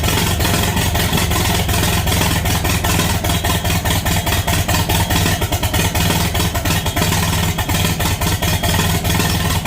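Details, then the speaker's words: International Harvester Farmall 450 tractor first start after sitting, with fresh gas and battery and no muffler: loud, rough running with irregular pops, a backfire out of the carburetor, most likely because the distributor needs adjusting. "little backfire little backfire and the smoke detector going off all right well she's loud and she runs now we got a little backfire out of the carburetor"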